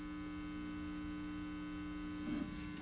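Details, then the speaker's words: Guitar pedal charge pump chip wired with positive ground: steady high whistle and squeal over a low buzzy hum, faulty charge pump chip noise, making the pedal unusable. "yeah you hear that horrible squealing sound [Music] there's a definite squeal you hear that whistling it sounds awful"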